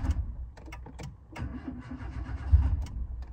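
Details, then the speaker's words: Engine converted to hydrogen gas on the stock ECU with high-flow injectors: uneven, labored low chugging as the starter drags slowly before it catches; slow crank, battery suspected dead, not confirmed. "oh I think the battery's dead"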